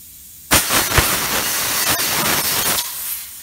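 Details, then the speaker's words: Tire just bead-seated with valve core removed: sudden loud rush of air for about two seconds, cut off as the core is quickly reinstalled with a valve core tool to lose minimal air. "now when i take this back off because there's no valve core in here remember all the air is going to shoot back out"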